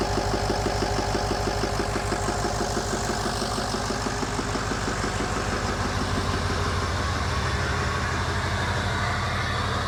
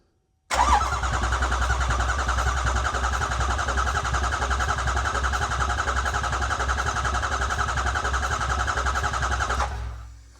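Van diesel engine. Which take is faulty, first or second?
second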